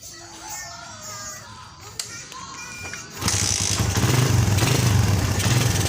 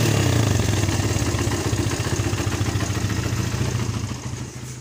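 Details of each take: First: Suzuki Satria FU that stutters and won't take throttle, after new spark plug, before carb cleaning: engine catches with uneven, lumpy low thumping that won't smooth out, unchanged; engine stumble. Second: Suzuki Satria FU, started with the battery disconnected except ground after the charging fault was repaired without new parts: engine catches and runs with a quick, even beat near 200 pulses a minute, then winds down; fires cleanly, healthy.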